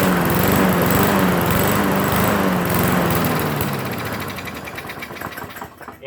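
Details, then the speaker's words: Mower stored four years, running on fuel poured straight into the carburetor bowl: rapid popping that runs strong, then slows and dies over a few seconds; fuel starvation, tank too dirty to draw fuel, needs a new tank. "too dirty to suck it up out of the tank but she's a runner it just needs a new fuel tank"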